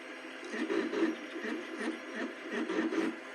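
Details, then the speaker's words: Two Trees Bluer Plus extruder feeder after repair and spring tension adjustment: a mid-pitched whir that swells and fades about every half second. It is mesh noise, not grinding, between the nylon gear and the stepper motor's metal gear, probably from some play. "It's more a meshing noise between the nylon gear and the metal gear that's on the stepper motor, and that's probably because it has a little bit of a either play, o"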